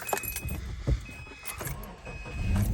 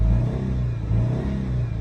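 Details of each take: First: 2008 Subaru Impreza after replacing a dead ignition coil that caused shaking: engine starts, revs nicely, and settles into a smooth, steady idle with no vibration or misfire. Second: 2008 Subaru Impreza flat-four, 211,000 miles, shaking and lacking power, running on two cylinders from a dead ignition coil: revving sounds lumpy and uneven, beat stumbling; misfire from failed coil pack.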